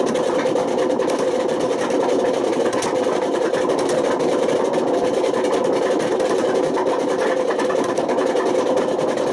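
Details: Washing machine on fast spin with badly worn drum bearings: a loud, continuous roaring rumble with a gritty edge. The bearings got so bad they damaged the spider and put excessive wear on the motor.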